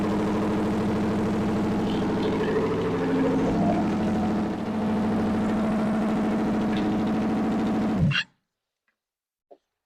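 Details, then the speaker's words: 1964 Chevy 283 small-block V8, fresh budget rebuild with DIY porting, break-in on a test stand: even drone held steady about eight seconds with no misses, then clean shutdown; runs smoothly on break-in. "well that was noisy but it worked okay well this thing runs it warmed up hopefully we broke everything in it didn't sound like it started missing or anything"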